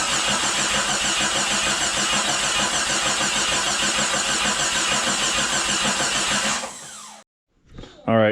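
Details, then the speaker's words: Remanufactured 4.0 engine just installed in a Jeep Cherokee XJ, dry-cranked with the coil pack unplugged to build oil pressure, steady starter whir with even pulses and no firing; smooth normal crank, exhaust not yet bolted together. "It shouldn't be too loud for turning over, but it might be loud once it fires up."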